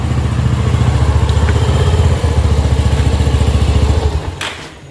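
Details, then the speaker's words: Bajaj Avenger 220 during a home service: dull, low clunks, three or four a second, as the rear wheel turns. The worn cush-drive rubber bushes in the rear wheel hub are being replaced. "இந்த கடக் கடக்கு sound வருது பார்த்தீங்கன்னா அதுவே தெரியுது இந்த wheel hub வந்துட்டு அந்த rubber push மாத்துறோம்ன்றது தெரிஞ்சிருக்கும்"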